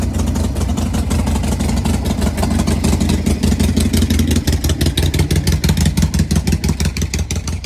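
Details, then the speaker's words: V-twin motorcycle in near-freezing cold: deep, even V-twin thump about three beats a second, firing steadily with no misses or rattles; normal running. "Does that sound good or what? Badass bike."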